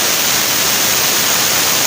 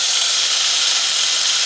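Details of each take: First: Angle grinder cutting stone after armature (anker) repair of weak power and growling (ngorok): steady, dense hissing roar that holds even with no bogging or rough growl; power now better, normal running. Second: Worn-armature angle grinder tested with disc fitted: harsh hissing high-pitched roar and rough growl ("ngorok") with reduced power, before repair of the armature.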